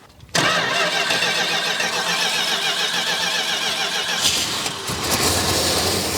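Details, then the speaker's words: 1969 Dodge Charger General Lee, sat for many years after a repaint, first start: starts at once, then settles into a lumpy, uneven idle with wavering revs; owner suspects idle or timing set too low and a carburetor issue. "we've got a couple things fighting us but it did try to idle um I think the idle or the timing is probably set too low to where it's like mad so we can check all that stuff"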